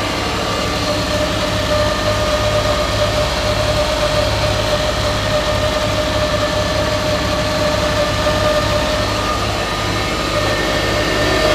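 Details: Twin-turbo (GT35/TD04) Subaru Forester with quad-tip exhaust, idling to cure exhaust cement gasket: deep, loud, pulsing drone with a raspy edge, later swapped for stock as too loud; leaking mentioned afterward; loud exhaust at idle.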